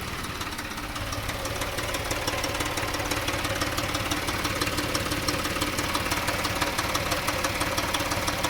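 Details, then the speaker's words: 2014 Dodge Journey 3.6 after cam replacement, check engine light on: after 30 seconds to a minute of warm idle, a light, even metallic rattle about twice a second appears; source unknown, owner says it sounds like missing on a couple of cylinders. "like a rattle and I can't quite determined where it's coming from but it'll do that still running though there's no knocks or loud ticks it just sounds really weird like it's missing on a couple of cylinders or something"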